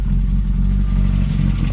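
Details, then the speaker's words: 1970 Opel GT in neutral, after finding a loose part under the tappet cover and setting the tappets: low steady even idle with no stumble or ticking; runs much better, normal idle. "so all done and let's see if she operates better this is a neutral oh that sounds so much better"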